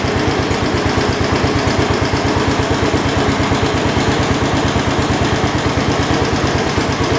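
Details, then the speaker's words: 1972 Homelite T10 garden tractor, the 10th one built; even, steady firing pulse at relaxed idle with no knocks or misses; generator light on, not charging; engine sounds healthy. "sounds really good sounds good and healthy let's get it outside and uh once we get it outside we'll have to mess with it maybe"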